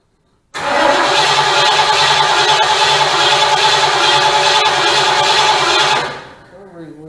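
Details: 1972 Ford Mustang Mach 1 with a 400 big-block V8, first start during restoration: a brief crank, then it catches and settles into a steady, even idle before shutting off.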